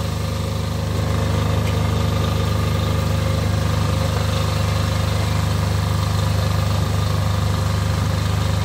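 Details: Off-grid diesel generator after a service for fuel problems that made it cut out, final checks before load testing: deep, even chugging about three to four beats a second, no stumbling or hunting; normal idle.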